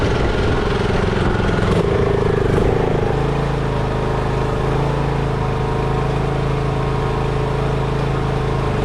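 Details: Craftsman riding mower that sat two years, after a dead battery and bad connections were fixed and the starter and carb replaced. The small engine settles into a steady, even hum with a clean low beat; normal running.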